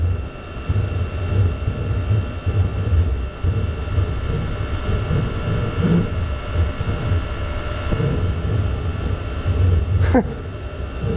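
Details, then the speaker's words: Chinese diesel heater run as waste-oil preheater (PT-10), acting up after burning overnight: deep uneven rumbling roar with faint steady whistle, making weird noises; carbon buildup found centrally over the burn chamber exit. "So it burnt that much last night before it started acting up. The heater's making some really weird noises."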